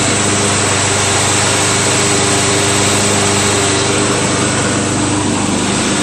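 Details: Craftsman LT1000 lawn tractor, freshly greased spindles, sharpened blades, new drive belt, deck just installed, first engagement: steady, even engine drone with blades spinning smoothly, no knocking, squealing or belt slap; deck runs fine.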